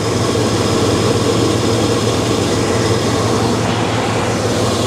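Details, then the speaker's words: 1984 Chevy C20 3/4-ton one-owner truck, V8 idling steady and even with no tapping or rattling, though running very rich and smoking slightly; normal idle. "do you hear that man she's curring like a kitten it's quiet there's there's no tapping no rattling no nothing would you listen to that"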